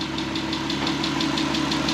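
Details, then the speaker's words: VW R32, first start after 10 years sitting and a timing chain redone: steady idle with light, even quick tick, likely valvetrain noise that may settle as it adjusts. "a slight ticking sound kind of sounds like kind of adjust but man started with almost zero issues."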